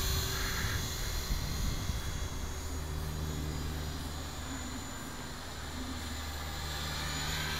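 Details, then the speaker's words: T-Rex 450 electric RC helicopter, flybarless, Hobbyking YEP 40A ESC in governor mode at about 2800 rpm head speed, in flight: steady rotor drone holds one pitch through turns and fast forward flight; normal constant head speed under changing load. "okay well you can hear that it's holding a constant head speed already in the turns and the changing load in fast forward flight it's actually it is working"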